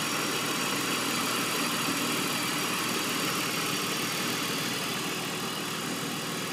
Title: Strange idling sound - 2002 BMW 330ci